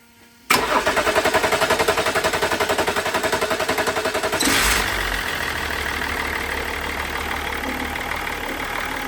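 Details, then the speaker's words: 1999 BMW E39 530d (M57 diesel) after fuel pump replacement for a crank-no-start: short crank, then catches cleanly and settles to a steady, even idle with no misfire or knocking; fuel now reaching engine, running healthy. "So, as you can see, the engine is working. The fuel is reaching the engine."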